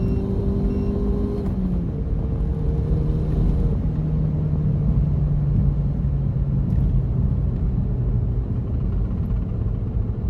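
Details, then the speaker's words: MK7 GTI manual turbo, after fixes for bucking/hesitation and ahead of a meth tune, logged full-throttle pull from 2,000 rpm in second, shifting at about 6,000 rpm into fourth; clean pull over road rumble, no stumbles or misfires. "So right there, I got it all the way to about 6,000. That's when I want to shift with the manual, 6,000 RPMs."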